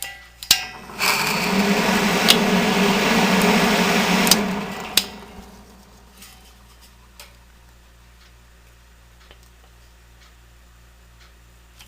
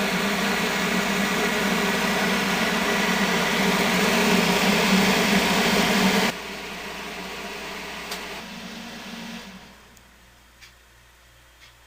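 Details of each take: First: 1970 Triangle Mobile Home Products bathroom exhaust fan, oiled a few years ago after long use with dry, dirty bearings: harsh gritty rattle for a few seconds at switch-on, then a quiet smooth run; worn motor bearings. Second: 1970 Triangle Mobile Home Products bathroom exhaust fan, 115 V 60 Hz, oiled about two years ago, with worn bearings from long running dry and dirty: rattles at startup, then a steady, even whir and low hum at speed, running smoothly.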